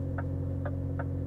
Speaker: steering wheel is shaking from the refrigerated container, mother. If God have mercy on him. If one of these stands next to you for the night, it will fly off the bed.